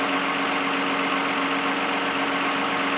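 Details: 2010 Lexus in for no-start, customer wants alternator replaced; jump-started, alternator charging 13.8–13.9 V: steady even idle with constant hum, no knocks or misses; engine and charging system sound normal.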